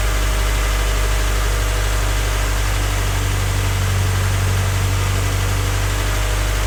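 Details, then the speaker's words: Freshly rebuilt Honda Civic D16Y8 on first start-up at idle before any throttle: steady, even, smooth rumble with no knocks or ticks. Slight smoke is residual oil burning off the header/exhaust manifold; normal idle. "Right now it's running. Like I said, everything sounds smooth."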